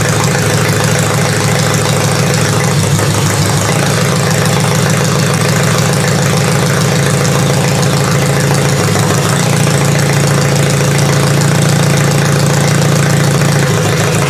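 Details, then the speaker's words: Toyota demolition derby engine after changing the spark plugs (a bad injector was also suspected): it is still hard to start, and the idle hunts and stumbles slightly with an uneven low beat, running somewhat rough. "she's still running a little bit under the weather but it's running now which is nice"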